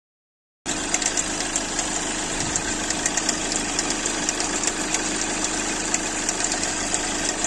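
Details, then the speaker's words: Hyundai Accent Blue at idle: noise from the V-belt area of the engine, a fast light chatter about three to four ticks a second; cause is a faulty alternator pulley. "şu v kayış bölgesinden yani motordan bir ses alıyoruz ama size bir video eklemesi yapacağım Bu videonun arkasına eğer onun gibi sesiniz devam ediyorsa bilin ki Şu arkadaki şarj dinamo kafası şu şarj dinamonun kafası aşağıdaki bozuktur"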